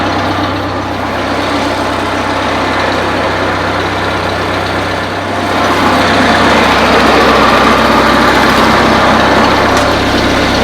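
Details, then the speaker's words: 1955 IH Farmall Cub tractor at idle: quiet, even purr like a sewing machine, rising slightly midway, staying smooth with no knocks or misses; charging; normal idle. "Probably one of the nicest running cubs I've ever had. It sounds like a sewing machine."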